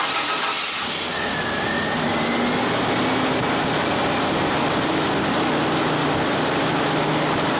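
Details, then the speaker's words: 1989 Chevy S10 long bed after A/C delete with new pulley, belt routed over water pump, power steering and alternator: short crank, quick catch, smooth steady idle, no squeal, chirp or rattle from belts; normal start and idle. "no tweaks no rattles i think we're good to go"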